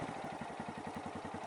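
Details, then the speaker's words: Honda MSX 125cc manual motorcycle, throttle held fixed at about 3,000–4,000 rpm while practicing clutch release; even, quick pulsing beat held steady with no misses or stumbles, pulling cleanly, though loud. "자 , 스로틀 은 전과 같습니다 . 이렇게 당기면 3,000, 4,000 정도 의 토크 가 나옵니다 . 아 , 시끄럽네 요 ."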